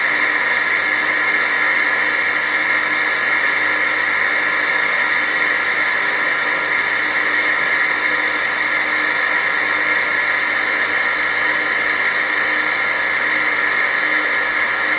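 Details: Small water pump motor drawing water from a bucket runs with a steady, harsh whirring hiss and rough high-pitched edge; bearing fault suspected, not confirmed.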